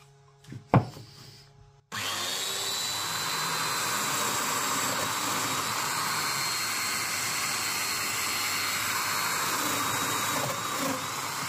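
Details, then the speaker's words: Festool DF 500 after repair of broken parts, a misplaced spring and a misfitted jig. The motor spins up to a steady high whine of even pitch with no grinding, rattling or straining: normal running, no longer labouring. "Donc là, j'ai une machine qui remarche parfaitement, qui ne force plus"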